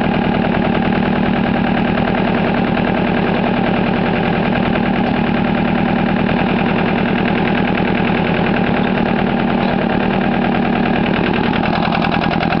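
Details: Case 360 diesel trencher, auction buy: steady diesel clatter with lumpy, uneven beat; bad valve means it only wants to start on one cylinder, needs drill-assisted starting and a head-off valve job.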